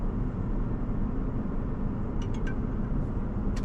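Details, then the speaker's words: Land Rover LR3 V8 after spark-plug contact repair for rough running and misfire, choke still on, in reverse so rpm dips: smooth, even low rumble, light clicks, no misfire stumble, very steady rpm; normal idle. "it runs nice you see the choke still on so it's a little bit on rpms but it runs beautiful as it is right now as you can see it's very steady on the rpms"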